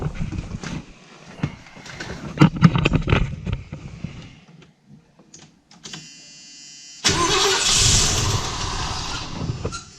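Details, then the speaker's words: 1978 Ford E150 van after replacing a suspected bad starter: brisk, even cranking at about three turns a second, spinning freely without firing. Normal cranking, much better than before. "well then much better that cranks over a lot better"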